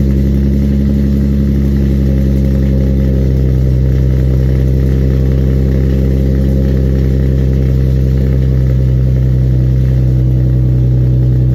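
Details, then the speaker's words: Infiniti G35 coupe cold start after an exhaust leak repair: a deep, steady exhaust drone at a fast cold idle, smooth with no ticking, puffing or rattling. The exhaust is now sealed. "I'll give you guys that quick cold start right now and I'll catch you guys in the next video peace out"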